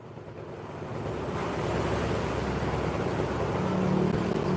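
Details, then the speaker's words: Honda Beat injection scooter after CVT setting: even, soft drive hum swelling steadily with speed, no rattle or slap from the belt drive; normal smooth CVT running. "oke suaranya adem halus"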